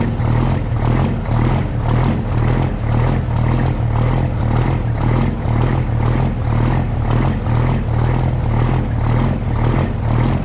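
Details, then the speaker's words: Custom Peterbilt with Cummins diesel, cold start after sitting three days, transfer pump primed first: steady idle with slight lope, even pulse near two beats a second, settling as cold oil circulates; healthy cold start. "so okay and she apparently has regulated herself here a little bit due to the temperatures and you can hear coal in that oil circulated up in that engine"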